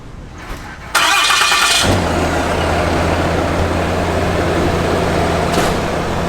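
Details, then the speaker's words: Ram HD Cummins diesel, new replacement engine with about 60 miles after the previous one threw a rod through the block at 4000 miles: starter whirs, then catches into a steady even idle with no knocks; healthy. "hopefully i can get a startup for you guys real quick so you guys can listen to it and here's a cool startup brand new"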